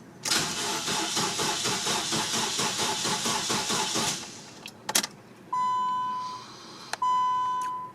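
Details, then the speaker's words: 2001 Nissan Sentra with a fuel pump problem that won't start. Starter cranks steadily for about four seconds and never catches, then chimes; crank, no start. "I prefer to buy all-new rather than risk damage to the assembly by dismantling it all right so the vehicle won't start"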